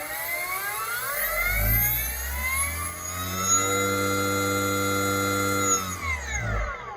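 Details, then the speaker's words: E-bike hub motor being matched to a controller by swapping hall sensor wires. The correct combination gives a smooth start with no hesitation, a quiet steady whine, and a clean wind-down at about 1.6 A draw. Motor running properly. "If you notice the startup of the motor, nice and smooth, no hesitation. And then it's not loud at all, it just continues on nice and smooth."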